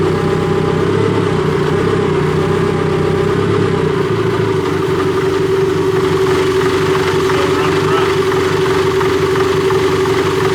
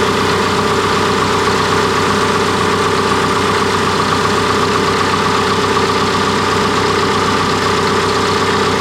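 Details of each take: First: Cat D3K2 dozer diesel with complaint of rough running, power loss when pushing, bogging, fluctuating RPM and white smoke; no DPF soot codes: uneven, lumpy, wavering idle under a steady drone; running rough, mechanic suspects a plugged DPF, not confirmed. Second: Cat D3K2 dozer diesel, complaint of rough running, power loss, RPM fluctuation and white smoke: steady, even idle with a smooth rumble, no misses or knocks; DPF soot load reads 12%, so DPF not sooted up.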